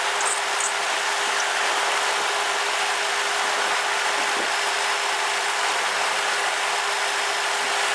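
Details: Ford Crown Victoria after belt dressing spray on a squealing serpentine belt: smooth even idle, steady mid-pitched hum, no chirp or squeal; accessory drive quiet, fix considered temporary.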